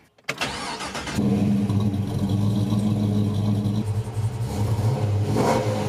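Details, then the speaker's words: LS3-swapped 1963 Chevy Nova wagon, after a persistent misfire was found and fixed: the engine catches instantly, flares, then settles into a smooth, even run with no stumble. All cylinders are firing. "it's frickin fixed and now we're gonna go drive finally this one made us earn it"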